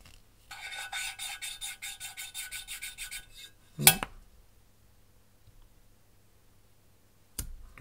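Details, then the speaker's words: Mercedes OM646 cylinder head valve lapping: even fine rasping strokes about five a second with a smooth rustle, no catching, then a knock; seat properly lapped in. "этот он так прям шелестит вот"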